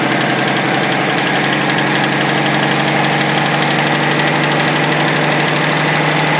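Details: 1964 Pontiac Tempest inline-6 with a new budget carburetor, idle mixture leaned from rich via the screw turned clockwise: steady, even idle with a smooth quick beat and no misses. Owner wants more road tests to confirm; normal idle.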